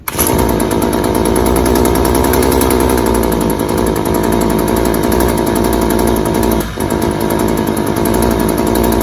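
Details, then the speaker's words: String trimmer run at wide open throttle sounds rough and choked, a dull smothered buzz that never clears; running far too rich with heavy smoke from a clogged spark arrestor screen and possibly a clogged air filter, then peters out and dies. "it just absolutely peters out and dies"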